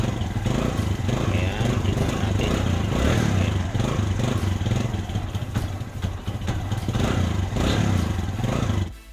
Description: SAMPUNG KICK BAGO UMANDAR KAWASAKI BARAKO 175